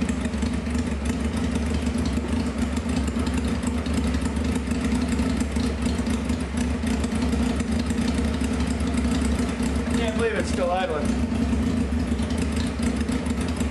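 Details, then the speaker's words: 1995 Honda CBR F3 first start, wet plugs, fuel spraying everywhere, open pipe: rapid steady burble that holds without stalling; rich running at idle. "It's shooting [ __ ] gas all over the place."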